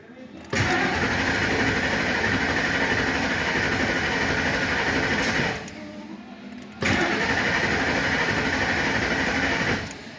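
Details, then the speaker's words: 1999 Ford F-150 4.6 after timing chain replacement: two cranking spells about five seconds each, starter spins evenly but engine never fires; crank no start, with broken wire and vacuum line, unplugged connector, oil pressure switch code, PATS suspected, unconfirmed. "He has a broken vacuum line there, but it won't start."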